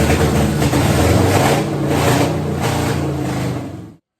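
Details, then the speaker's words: 1963 Ford F100 V8 with big cam and dual quad carburetors, first start, no mufflers, about 60 psi oil pressure: loud open-exhaust uneven loping rumble running steadily until shut off; healthy, rowdy as expected from the cam. "uh motor's healthy sounds good uh actually sounds kind of Rowdy uh kind of expected that though honestly with the cam and all it's in it"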